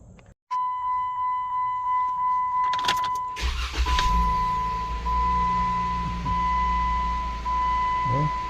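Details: 2015 Jeep Wrangler Unlimited just after spark plug change, owner suspects a head gasket leak after coolant loss and burned cylinder 3 plug; door chime, brief crank, quick catch and smooth even idle with no misfire, no engine codes.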